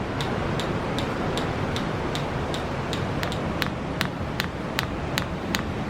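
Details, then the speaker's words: Maxpeedingrods 5-8kW diesel parking heater, startup while fault-finding white smoke, no smoke from exhaust: after a delay, crisp evenly spaced dosing pump ticks about 2.5 per second over steady fan rush, current rising; normal pump ticking. "Oh, there we go. I was going to say that pump kept me waiting then. Now as soon as the pump started we can see that the current's gone up a bit"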